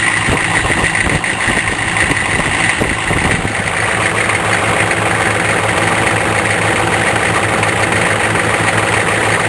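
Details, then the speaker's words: Cold diesel at idle after a cold-weather crank: loose, uneven rattle over the steady diesel clatter, heard better at the front under the hood; owner says the vacuum pump is failing. "my vacuum pump yep my vacuum pump is going bye-bye can hear it better in front"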